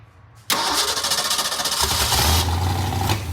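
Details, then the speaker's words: Ford 289 V8 on its first startup in over 10 years with a new starter; fires, then runs loud and uneven with a lumpy, stumbling beat. Rough running from a nearly stopped-up carburetor that needs rebuilding. "Yeah, the carburetor's gonna have to be rebuilt before it'll run. That carburetor's completely pretty much stopped up."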